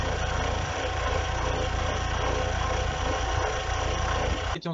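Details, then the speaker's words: Audi 80 petrol engine running: rough chattering whirr under the hood, driven with for months and persisted after engine overhaul; cause was the water pump, fixed by replacing it. "В общем в моем случае это была помпа и я заменил помпу"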